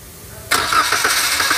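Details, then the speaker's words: Toyota Calya/Daihatsu Sigra with the fuel pump fuse pulled: the starter spins the engine at an even, quick cranking beat but it never catches, because no fuel is delivered; crank, no start. "ini nih ya sekarang mobilnya ndak bisa hidup juga karena pompa views pompanya kita lepas sekarang kita kembalikan lagi"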